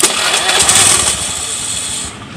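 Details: Honda Beat scooter after starter relay bypass jumper wiring: quick starter spin catches at once into a buzzy, even idle with no relay clicking; clean, normal electric start.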